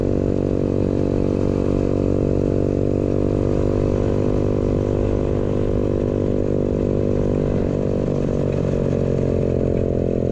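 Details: Newly installed 125cc 4-speed kick-start single in a Pagsta chopper build with a new fabricated exhaust; steady, buzzy note at even revs with a slight pitch dip, no knocks or misfires; runs healthy.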